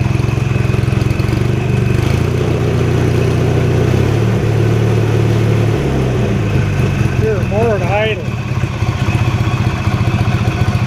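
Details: 1983 Sears Craftsman GTV/16 garden tractor, opposed-twin 16 hp Briggs & Stratton, idling steadily with occasional faint chirps from the drive system before repair; owner suspects a rough idler pulley, later replacing all idler pulleys and drive belts.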